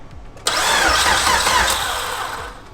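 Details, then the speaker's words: Nissan S13 with freshly built high-compression K-series engine, first start: quick, strong starter cranking about two seconds with brisk even beat, compression audible, then it starts; oil pressure confirmed after. "I can hear the compression it started yeah"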